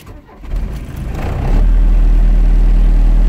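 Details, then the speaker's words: 1981 Volkswagen Rabbit/Caddy diesel truck starting: cranks and catches quickly, then loud deep throbbing idle with heavy vibration; owner suspects engine mounts, vibration quietens with a little more idle; cause unconfirmed. "And it has a really loud vibration. I'm thinking it's the engine mounts, but it as long if I add a little bit of idle, it quietens it."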